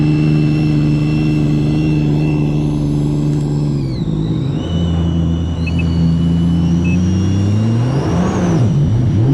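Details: Sea-Doo jet skis, Stage 2 2020 RXT-X 300 and a Stage 3 with 25 lb wheel, hot day with full tanks: strong steady drone rising and falling cleanly with throttle, smooth whine on top, no misses; running well.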